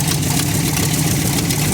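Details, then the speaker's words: 1964 Ford F100 with terrible oil, hard to start even warm: loud, ragged idle with a raspy puffing edge; it is missing, with a big exhaust leak, possibly also at the heads (cause not confirmed). "you can hear it missing we've got an exhaust leak here [Music] and a big one there probably one down there maybe at the heads i don't know it's definitely not happy now"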